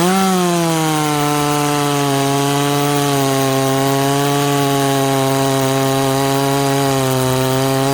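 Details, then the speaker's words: Ported 66cc chainsaw cutting wood in a shootout: holds a high, steady scream through the whole cut with barely any sag under load; strong, healthy pull. "hmm here's the chips we're pulling okay that thing's an absolute monster"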